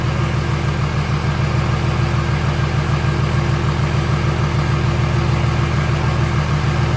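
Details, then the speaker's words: Cummins-swapped OBS Chevy truck, first start after fluids topped and oil pressure primed: steady, even diesel idle with smooth regular beat, no knock or miss; power steering leak noticed afterwards. "Running. Freaking running, guys. Hell yeah. That was great."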